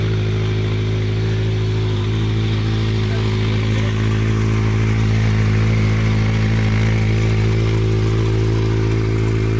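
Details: Honda CB700 Nighthawk S project bike starting on its own newly charged battery, running about a minute before fuel ran out: steady, even low burble with regular beat, no knocks or misses; normal idle.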